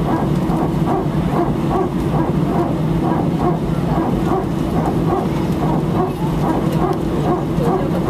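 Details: Air France A319, flight AF2487 Sofia to Paris, 15/01/2012, recorded from cabin seat 18F while taxiing before take-off: rapid, evenly spaced barking bursts over steady cabin rumble; strange repetitive barking noise, cause unknown.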